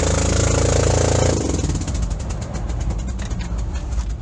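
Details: Daihatsu Fourtrak pickup engine with a blown head gasket, before engine swap: after the engine note drops, rough uneven chuffing pulses around four a second, consistent with leaking compression.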